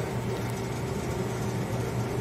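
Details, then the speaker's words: Three-door commercial refrigerator, 15 °C at the panel, condenser high-pressure tubes warming up: quiet steady low hum with a faint even drone, no knocking; compressor and refrigeration system working, no leak. "si se empiezan a poner caliente es quiere decir que no hay fuga y el sistema de refrigeración y el compresor están trabajando"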